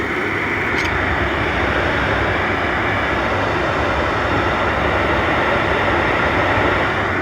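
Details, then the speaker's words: Oil burner on a boiler or furnace at its annual tune-up, freshly lit after bleeding the oil line, 150 60-degree nozzle: constant even roar with no pulsing, rumble or sputter, a good clean fire before the smoke test. "that's a gorgeous fire all right now you're going to take your smoke test"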